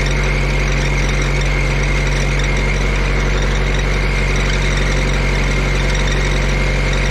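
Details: Auction-bought diesel welder that fell from a crane, running after isolator mounts were shimmed and tightened: steady drone with a thin, constant high squeal; drive belt is quite loose and worn, slipping, to be tightened.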